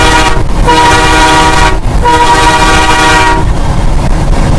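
Two loud sustained chord blasts, each about a second, steady and clean; air horn sounds healthy.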